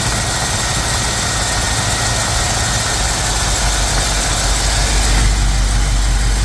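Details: Mostly original two-owner 1973 Camaro V8, first start after work, distributor turned counterclockwise: fast even rumble around 2000 rpm that never settles; high idle tied to distributor timing.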